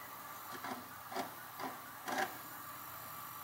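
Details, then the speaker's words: Samsung DVD-HR730 DVD player/recorder after its switch-mode power supply repair: quiet whirring broken by four sharp rasping bursts as the head moves but cannot focus. Mechanism suspected to need cleaning or lubrication, not confirmed. "definitely moving the head but it sounds like something needs some cleaning there can't focus"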